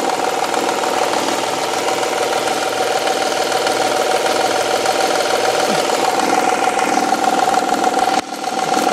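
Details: Honda/Acura V6 at idle; steady tapping knock about three beats a second, seeming to come from the rear-bank cylinder head; faulty timing belt tensioner, and the noise goes away after the tensioner is replaced.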